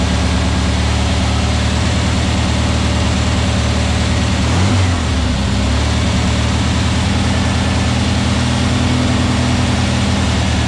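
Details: New VW Beetle 1679cc single-port engine with Scat C25 cam and dual Empi ITC carbs on its first fire-up and 20-minute cam break-in. A deep, even flat-four drone holds constant speed with no misses or knocks. Timing is spot on, it has no leaks, and the carbs still need tuning.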